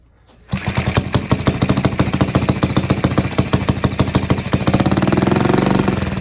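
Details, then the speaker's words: Villiers barn-find single-cylinder engine, first start on choke from float bowl, no governor, spring on idle screw, air filter open: sharp even pops that keep speeding up; running too fast, to be adjusted down. "So with the air filter open, it's running too fast. So I'm going to get a screwdriver and we will adjust it back down."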